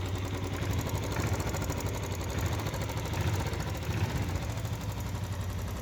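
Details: Engine idling after a crankshaft noise repair: quiet, even idle with a steady low hum, no heavy bottom-end knock and only slight tappet noise. Runs smoothly now, clearly better than before the repair.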